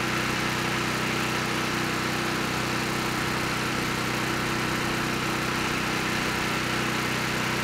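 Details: Honeywell HW5500 5500-watt generator, 337cc engine, after fitting new Hipa carburetor, replacement tank and old gaskets (insulator issue found); constant drone with fast, steady beats, no misses or surging — normal running.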